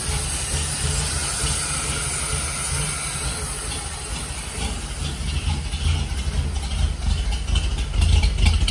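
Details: 1946 Dodge pickup barn find, old six after regapping bad, loose points and a new condenser. Running on choke, no coolant: deep steady rumble with even firing that firms up as it runs. Runs cleanly.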